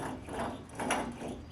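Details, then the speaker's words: Chevy Tahoe front wheel bearing on the removed hub, turned slowly by hand: rough, gritty scraping and ratcheting where it should be smooth, with play; worn wheel bearing. "oh these are bearings these are supposed to be smooth yeah can hear how gritty it is yeah and there's play in it too"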